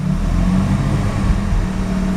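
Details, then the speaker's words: Mazda RX-7 rotary with rough shaking idle, very high CO (2.70), no oil pressure, new spark plugs, ignition leads measured: misfires only on light throttle, low drone stumbling and breaking up; cause unknown. "And this misfiring, it's only making when I push a bit the throttle, just like that, just a little bit,"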